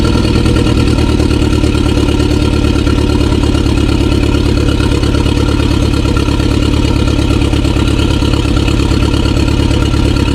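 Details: 2016 BMW 428i xDrive (F32) with aggressive shaking: loud idle with a pulsing, uneven beat about three a second that never smooths out; crazy misfiring, cause still unknown.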